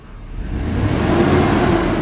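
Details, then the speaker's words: Truck with 6.0 V8 after exhaust repair and flex plate replacement, idling with a steady, even low rumble and no knock or tick. Normal smooth idle; separate whine suspected from the power steering pump. "Purring like a 6.0 kitten."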